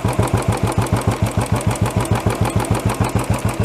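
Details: Royal Enfield BS6 single-cylinder, target idle around 1000 rpm plus or minus: even, steady thump about three beats a second with no misses or rattles. Clean, healthy idle.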